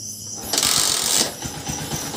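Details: Honda TMX 125 Alpha after fitting a new ignition switch, started at night: brief crank with a hiss, then fires and settles into a light, regular putter. Starts easily and idles normally; before the swap it was hard to start, the neutral light stayed off, and it kept running with the key removed.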